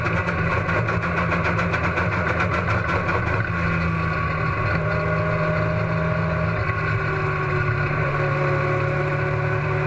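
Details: Race car engine at Huntsville Speedway, loud and rough, stutters unevenly in the first few seconds then runs steadier; sounds like a misfire.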